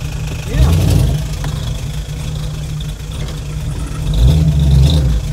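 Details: Carbureted LS-swapped Chevy V8 after fixing a cranking 12-volt wiring issue: steady idle with a couple of quick blips that climb and drop back cleanly, no stumble or hesitation; running right.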